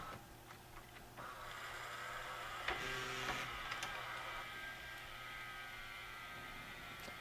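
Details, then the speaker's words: Mitsubishi HS-U760 S-VHS VCR from the mid-90s, which would not take a tape, after a new loading belt and cleaning: a quiet, even motor whir with soft clicks as the cassette loads smoothly; working normally. "so far it looks great it loads everything's perfect"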